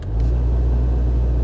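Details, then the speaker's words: 2014 Jetta SportWagon: deep, steady helicopter-like throb from behind the dash that tracks blower speed; an unbalanced, failing blower motor fan, to be replaced and checked for debris in the blades. "today in the shop we have a 2014 Jetta Sport Wagon that the customer is complaining it sounds like there's a helicopter behind the dash okay that's not exactly what he said but that's basically what it boils down to"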